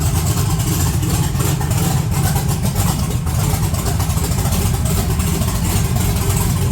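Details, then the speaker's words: 1982 Chevrolet S10 that sat since December 2023, cold, points look good, 60 psi oil pressure, low vacuum: loud rough idle with uneven stumbling beat; clearly misfiring, breaks up off throttle; a bad wire or vacuum leak is suspected. "It's definitely misfiring. So maybe it's got a bad wire."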